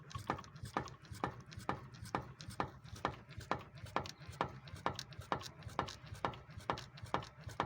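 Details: Nissan Frontier 4x4 front suspension rocked: sharp, even clunks about twice a second from a worn steering box bushing.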